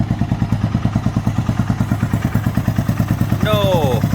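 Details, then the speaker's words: 1997 Suzuki Savage 650 single after a timing chain tensioner mod to cure ticking and clacking: even thumping idle of about nine firings per second with no chain clatter; quiet, normal idle after the repair. "clacking [Laughter] nice and quiet there let's give her a couple of rabbits nice one nice and quiet [Laughter] all right well that's a huge relief that's sounding much better"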